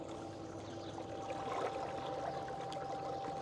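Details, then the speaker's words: ePropulsion Spirit 1.0 Plus 3 hp-equivalent electric outboard at 74 watts, microphone on the boat: faint steady hum over water splashing, smooth and quiet, no grinding; normal running. "Right now, I'm running this at 74 watts. And you can hear a little bit of a hum. I believe the Ramigo 1 is a little bit louder when we test that."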